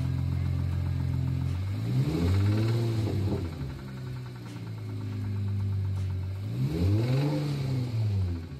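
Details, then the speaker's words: Engine the owner suspects has rod knock, started last week and getting worse with driving: dull knocking about four times a second under the engine note, more noticeable as revs rise and fall; engine knock, cause unconfirmed. "Customer states, is this rod knock? It started up last week and has been getting worse and worse the more I drive it."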